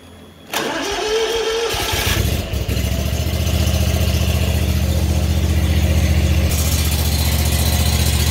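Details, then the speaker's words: Kawasaki FT730V EFI on a two-year-old Scag Tiger Cat 2 zero-turn, 1541 hours, after first-ever valve adjustment: cranks, catches and settles into a steady, even idle with the previous ticking gone; healthy valve train. "oh that sounds a lot better all that chicken is gone isn't that awesome just in those valves i believe made a big difference in how this engine sounds"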